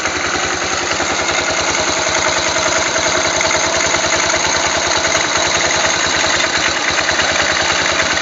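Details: Yamaha 500 XT single-cylinder after timing chain tensioner adjustment: idle thumping about 200 beats a minute with a busy mechanical clatter on top; abnormal engine noise, source unclear.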